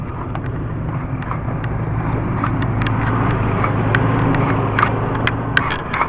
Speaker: the truck searches with every pulse of those units